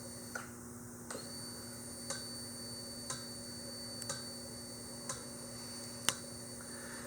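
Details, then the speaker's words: Yamaha XV1700 Road Star Warrior in diagnostic mode, code 36 for injector 1 after cycling the kill switch: evenly spaced crisp clicks about once a second over a quiet hum, the injector pulsing five times with the light, working normally. "So when I do this kill switch to off and back on, you're going to hear the injector pulse along with that light blink 5 times."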